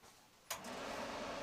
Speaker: all right it clicked on and it's saying 70 degrees this one is saying 90.